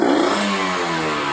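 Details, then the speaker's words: Kawasaki Ninja 150RR, carburettor rejetted after booster/ground cable install: quick blip climbs and falls crisply with no bog; bottom end still very rich (deliberately wet setting) but throttle response feels good, less flooding. "Boros banget. Tapi enak sih kalau digas begini."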